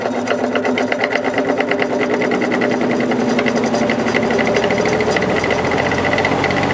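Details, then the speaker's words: Air King 9218 window fan on high: harsh rapid buzzing rattle with heavy pulsing vibration from the motor; felt washers and bearing fine, caused by the motor's imperfect rotor. "so you can hear all that racket coming from the motor it's it's not being caused by the washers or anything like that there's plenty of washers in there the felt washers are in good shape the bearing is in good shape it's just um that imperfect rotor"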